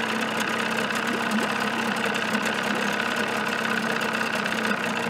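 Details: 1979 Evinrude 35hp two-stroke outboard in a test barrel with insulated cover fitted, reading about 85 dB: steady buzzy drone at fast idle, even with no knocks or misses; normal running.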